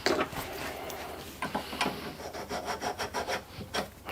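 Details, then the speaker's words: Hand lapping a normally-closed valve's seat with slightly coarser paste: soft, scratchy rasping in short uneven strokes that grows smoother as the seat beds in evenly. "Nice matte seat all the way around. A little bit more. Try some slightly coarser paste."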